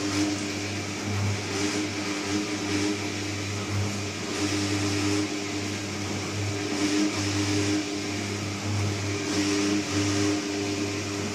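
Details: Candy Trio 9501/1X appliance running loud: steady low hum with a buzzy tone over swishing water swelling about every two seconds, humming and resonance.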